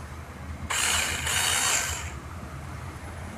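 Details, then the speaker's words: RC Rock Crawler, brought in because it would not drive forward or reverse; after the motor plate was replaced and the motor refitted and resoldered, a battery bench test gives a short, even high-pitched gear whir with no grinding. Normal running. "setelah terpasang kita cek lagi dinamonya bisa berputar atau tidak"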